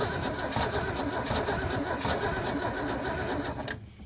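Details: Holden HQ one-tonner off the road 29 years, running on some stale fuel with a carb due for cleaning, smoke from the breather tube: lumpy, uneven firing at a slow loping beat, then dies away; rough running.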